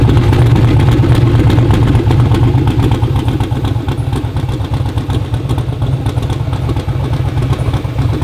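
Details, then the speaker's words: Twin-turbo Black Sheep V8 in a street car, first fire-up on an electric fuel pump with a factory starter refitted: deep steady idle burble about three pulses a second, even firing, no misses; normal idle, with a possible slight starter issue. "idle's great runs great great uh slight issue with starter possibly"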